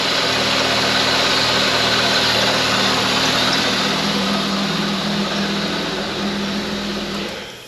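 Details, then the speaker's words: Holden VS Commodore ute petrol engine revived after sitting, racing at a raised idle under a loud airy hiss; idle steadies when a finger covers the leak and rises again when removed: massive vacuum leak. "So, if I back up here, it's idle right up high. Might take a second to correct itself. That sounds more stable already. If I take my finger off, there it goes again. Massive vacuum leak."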